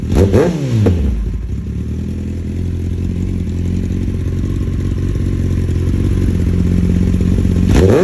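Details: 2020 Kawasaki ZX10R inline four with a newly installed slip-on exhaust. It revs up, then settles into a lumpy, uneven low-speed run with loose pops and flames. It breaks up at low RPM; the owner suspects the ECU needs a tune, unconfirmed.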